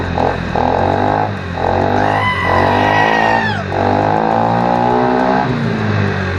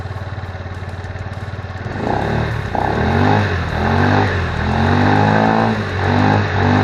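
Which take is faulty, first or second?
second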